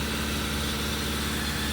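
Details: 2016 Subaru Crosstrek at a police impound auction, started right up without a jump: steady, even idle with smooth low hum, no knocks or misses; normal idle.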